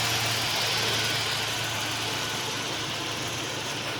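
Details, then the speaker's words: 1989 Ford Ranger XLT engine (swap donor for 1987 Bronco II 2.9L), first start after sitting about a year since January 2017: even, steady idle with slight tapping that grows quieter as it warms and settles; normal idle. ">> Yeah, the engine's quieter."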